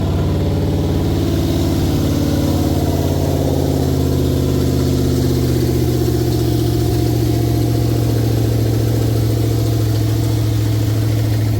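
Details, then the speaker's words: Toyota that was jump-started backwards, starting after blown fuses were replaced: a very loud, deep idle with a heavy drone, sounding as if the catalytic converters were cut off. The cause of the loud exhaust is unknown. "Woo, okay, there it started. Sounds like somebody cut the cats off this thing."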